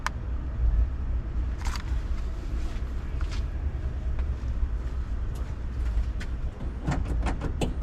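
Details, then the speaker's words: Boosted race car engine cranking for dynamic compression test after breakup in fourth gear: low, even starter churn with steady beats; cylinder one about 158 psi, though cylinder two later reads about 135. "compression test is just a rough um Dynamic compression you know the test here which getting an overall look at what's going on how it's sealing"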